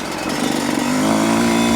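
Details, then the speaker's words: Yamaha YZ125 two-stroke with 430 main jet, sputtering at mid-range to high revs: blubbery, uneven revving note that won't clean up; rich running, needle or main jet suspected too rich, considering a 410. "So I'm guessing the 430 is a little bit too rich. So I may change that to a 410. Yeah, it's definitely too rich."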